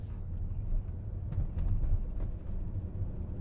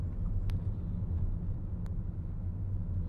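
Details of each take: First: 2011 Volkswagen Jetta driving with a deep, lumpy, shuddering drone as it misfires under throttle near cruising speed, with the check engine light flashing. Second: 2011 Volkswagen Jetta after fixing misfire, heard from inside on test drive: low even rumble, no stutter or hesitation, idles nicely, accelerates smoothly. Misfire fixed.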